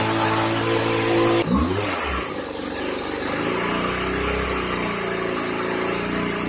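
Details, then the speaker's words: 1999 Weed Eater FeatherLite trimmer (Type 1 XPWES 0183LT) two-stroke, dormant over a decade, running after a new carburetor and fuel lines: high buzzy whine rises with a throttle blip, then holds steady. Clutchless, trimmer head spinning; normal running. "I'd say that's not too bad for an engine that has been dormant for more than 10 years. The head is spinning and so far everything sounds good."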